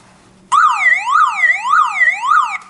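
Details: Car alarm siren, reconnected to its own battery pack after being unplugged: loud two-tone siren sweeping up and down about twice a second as soon as power returns; alarm siren triggering.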